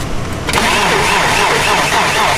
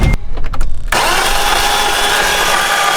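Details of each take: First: BMW E30 starting: quiet, then the starter catches and it fires at once into a steady even run with no misses. Restart after the battery came loose in traffic; a security system had kept the car locked. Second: BMW E30 that broke down on the drive home: starter spins the engine quickly and evenly about three seconds with no firing — cranks but won't start; timing belt suspected snapped.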